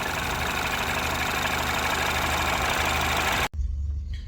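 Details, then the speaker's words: Citroën DS3 at rough idle with a steady loud hiss that stops abruptly at shutoff; owner thinks it is blowing from the hanging downpipe, source unconfirmed. Decat downpipe swap unfinished because the O2 sensor was stuck. "Definitely sounds like it's blowing from here, so I wish I managed to get that done."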